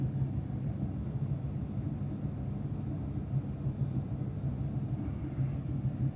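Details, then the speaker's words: Bosch tumble dryer restarted after owner cleaning and maintenance, on a short programme: steady even low rumble, no knocks, squeals or scraping; drum turning smoothly, healthy. "Voilà, après on démarre. La machine s'allume et marche."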